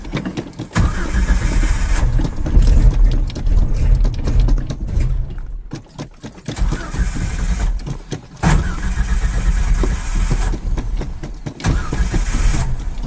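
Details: Carbureted Ford Ranger truck, cold morning start with gas pedal pumped; repeated long cranking bursts, starter turning engine about twice a second, never catching between tries; owner suspects it needs fuel; cranking no-start.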